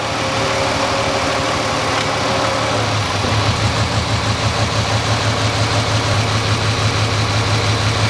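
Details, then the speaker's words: 2005 Ford Freestyle 3.0L V6, P1000, no misfire codes: put in Drive against the brake, idle drops and roughens into an uneven beat; misfire worsens under load, primary ignition circuit being diagnosed. "I'm gonna put it in Drive Tammy it just gets worse"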